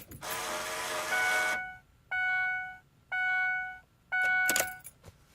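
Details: 2004 Ford Explorer CD radio with no CD inside. When the truck is turned off or on, the unit whirs for about a second, then three steady tones sound about a second apart; the cause of the CD mechanism noise is unknown.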